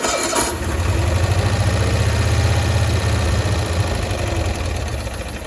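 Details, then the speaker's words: 1965 Cushman Truckster restarted after sitting a year, while adjusting the carburetor mixture screws: lumpy idle with a hollow sucking note. Owner suspects a stuck float; sucking sound not yet fixed. "my end goal is to get it to where it quits doing that sucking sound but so far I haven't made any progress"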